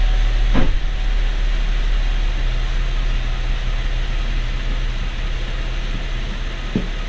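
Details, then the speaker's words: 2011 GMC Acadia 3.6L V6, about 130,000 miles, after timing chain replacement with engine dropped out the bottom; fires right up, smooth even idle with steady hum and no chain rattle or ticking, normal idle. "and pretty much started like that the first time too fired right up this engine was running and driving before I started"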